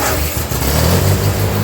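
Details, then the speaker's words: 1948 Ford 8N tractor during rebuild, restarted after checking oil filter for oil, oil pressure now up; ignition timing and carburetor still to be tweaked: even low thrum, steady firing, no knocks; runs healthy. "Well, I guess we'll call that a success. It started the first time I hit the button. It's running."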